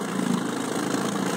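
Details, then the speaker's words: 1968 Evinrude 9.5HP short-shaft two-stroke outboard after new breaker points and water pump impeller, in gear: steady even buzzing at constant speed, no misses or knocks; normal running. "Okay, I've done endurance testing on this motor. I can't get it to stop unless it runs out of gas. It's ready to go."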